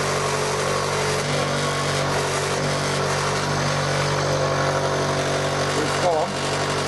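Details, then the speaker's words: Mini lathe running at steady speed with a constant hum and a buzzing, chattering rattle from the loose top cover, whose interlock switch is taped because it pops open. "The cover on the top. I need to look at that and see if there's something I can do to it to stop it, because it is annoying."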